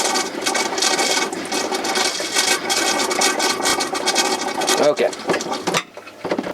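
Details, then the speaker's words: Winnebago Touring Coach Era water pump during winterizing, pumping RV antifreeze into the lines: rapid, uneven, rasping chatter as the antifreeze jug runs empty and the pump sucks air, so a second jug is needed. "So you'll hear the RV antifreeze go empty pretty much. You'll hear just sucking air."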